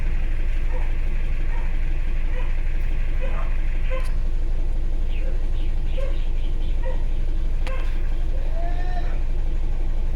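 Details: Isuzu Alterra diesel with check engine light and low power after valve cover gasket and seal replacement; code fuel injector group B supply voltage low, fuel pressure okay: rough idle, heavy uneven slapping about four times a second, two injectors not firing.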